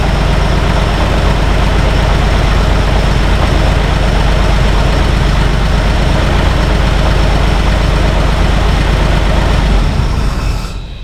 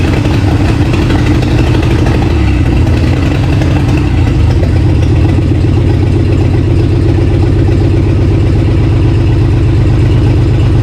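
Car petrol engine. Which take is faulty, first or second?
first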